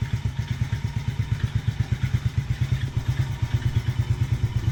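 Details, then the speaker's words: Taotao 125 on a chilly morning, started with choke, fresh oil change: a cold idle carries a loose, clattery tapping about twice a second from the top end, not the bottom end; cause unknown, and it typically goes away once warm. "It definitely seems to make some kind of noise on the top end though. Nope. Definitely not coming from the bottom end, so I'm not sure what that is."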